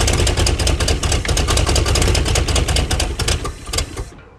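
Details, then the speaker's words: 1956 Chrysler Windsor engine, not run in at least 5 years, starter just reinstalled: rough, uneven firing with loud irregular pops that fades and stops, running only on fuel poured in; fuel starvation stall, filter possibly clogged. "We just kind of wanted to see if we could get it running for the guy that had us put a starter in it, which you put enough fuel in it, she wants to run. If she had constant fuel, she'd stay running."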